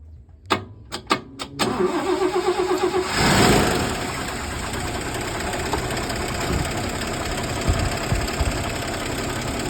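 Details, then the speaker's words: Red Toyota FJ40 with brand-new engine, cold start at 7,000 ft with vacuum gauge: a few clicks, short crank, catches cleanly and settles into a steady even idle, no misses or knocks; vacuum steady at about 15, healthy. "so today we're going to be doing a cold start and a vacuum test. Okay, start it up."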